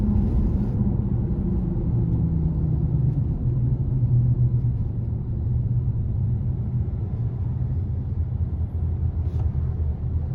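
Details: 2018 Honda CR-V, lifted, noise since new: steady low droning hum under road rumble, loudest 25–50 mph, absent with front wheels raised; dealers couldn't replicate, owner suspects hub assembly or tires; humming noise while driving.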